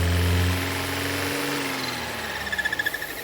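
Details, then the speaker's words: 2017 Volvo V40 2.0 petrol engine just started, idling: intermittent loud squeal rising and fading while revs pick up on their own, noise stops when oil cap is released, strong suction at cap; faulty PCV breather valve. "You can hear the squealing noise there already. It might start picking up in a minute."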